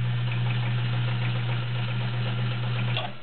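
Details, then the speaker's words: Vintage heavy-duty Kenmore model 1207 sewing machine sewing straight stitch. Steady, even motor hum with light stitching ticks about four a second, smooth and strong; described as quiet, powerful and very nice sounding: running well. "You can really hear the power. It's a very nice sounding machine."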